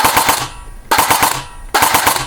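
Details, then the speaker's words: Elite Force MP5K airsoft with Perun V3 Hybrid mosfet, pre-cocking on, about 13-14 rounds per second normally: three separate bursts of rapid cracks with clean pauses, completion-type 3-round burst cycling properly even on a trigger tap. "And it is a completion version, so if I pull the trigger, if I tap the trigger, it'll complete the 3-round cycle."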